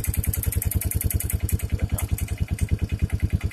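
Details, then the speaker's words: Old pull-started four-wheeler with no battery and a worn exhaust held by one bolt: rapid, sharp ticking in time with each firing pulse over a lumpy idle, traced to a loose spark plug. "Oh, it's coming from the spark plug. Oh, it's got the spark plug loose."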